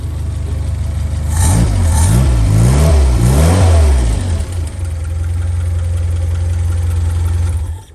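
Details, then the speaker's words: 930 engine freshly installed and tuned, blipped with the ignition on; revs up and settles back to a steady, even idle with no knocks or rattles, running sweet and healthy. "it's on I put the ignition on so if I just press the button here [Music] it runs sweet as a"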